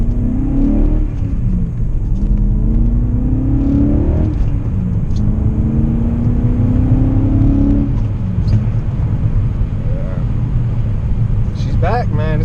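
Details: BMW M5 E39 V8 after timing chain guide repair: light-throttle revs rise and settle smoothly with an even note and no chain rattle; engine runs healthy.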